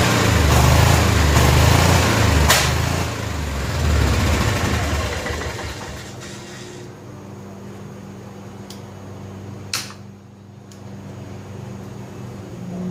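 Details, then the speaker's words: 1988 Club Car golf cart barn find, 8.5 hp Kawasaki single-cylinder, idle circuit not working: engine chugs steadily at a fast even beat then eases off smoothly; runs cleanly, sounds healthy. "all right well a success it's got to be a success because it runs that it sounds good"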